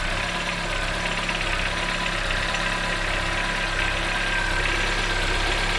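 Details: Chevrolet Onix 2014 1.4 LTZ, cold start in the morning: steady cold idle with light, fast tapping knock over engine hum; occurs when engine is cold, cause unknown.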